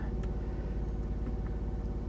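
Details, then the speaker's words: Range extender of a 2017 BMW i3 REx (46,000 mi, sold as having engine damage) that kicked on at start with the battery out of range: a steady, low, even rumble at constant speed, only a slight noise, no knocks. It is running normally. "Okay. I do hear a slight noise from the Rex. Doesn't sound like anything crazy."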